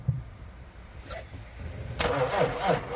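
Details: BMW X5 after fixing a no-crank no-start caused by a disconnected ground cable and low battery: starter whirs briefly, engine catches and settles into an even idle; starts cleanly with nothing abnormal.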